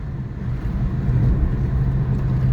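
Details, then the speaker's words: 1992 Mustang GT 5.0 automatic driving after its blown, humming rear end was swapped for a supposed 3.73 rear, later doubted to be 3.73 gears. Deep engine rumble builds as it pulls away, with no whine or hum from the axle; it runs normally. "and there we go she runs good real good real happy with it"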